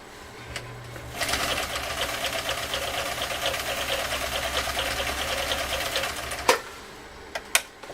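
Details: Husqvarna Viking CL8 rebuilt using a donor machine, on the foot control, sewing through two layers of 6–8 oz vegetable-tanned leather. Steady, even motor hum with rapid, regular stitching chatter; a smooth, healthy machine with even stitch formation.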